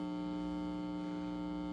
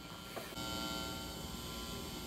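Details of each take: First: Marshall JCM800 Lead Series amp after power supply repair, bias -37.4 V, 418 V plate: steady loud low hum with buzzy overtone, unchanged by controls; disappears when second-stage preamp tube is pulled, power amp unaffected. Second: Marshall JCM800 Lead Series amp after power-supply repair, hum balance pot set to minimum: quiet steady low buzz with faint fixed tones, no crackle or surging; normal residual mains hum.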